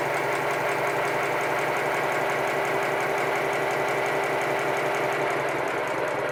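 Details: Homebuilt 1996 7¼-inch gauge 0-4-0 tank steam locomotive on compressed air at about 50 psi, mechanical lubricator: fast even chuffing over steady hiss, no knocks or clanks; running smoothly.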